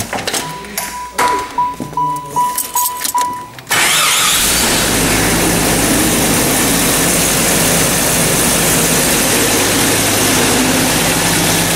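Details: 1994 Jeep Cherokee, towed in with no-spark no-start, after replacing faulty crank sensor on left side of bell housing: engine catches in about four seconds and settles to steady even idle without stumble or miss; normal idle.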